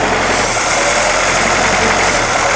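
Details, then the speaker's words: 1958 Jeep CJ5 running only on sprayed fuel into the intake: even, steady idle with no skipping beats, all cylinders firing, smooth until spraying stops; fuel supply issue suspected. "I don't think it's missing a cylinder. It sounds smooth to me until I quit spraying."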